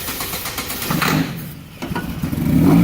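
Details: Crank-no-start car with no fuel pump sound when commanded on by scan tool; starter fluid sprayed into the airbox while cranking, uneven cranking then the engine catches and runs, pointing to missing fuel delivery.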